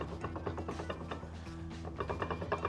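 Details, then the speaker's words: BMW E60 M5 M limited-slip differential: quick rattling clacks, about four or five a second, as the pinion rocks with excessive free play after an oil leak destroyed the bearings ("M-Clunk"). "this is the free play that came into the pinion gear due to complete breakdown of the bearings so you can see it right here"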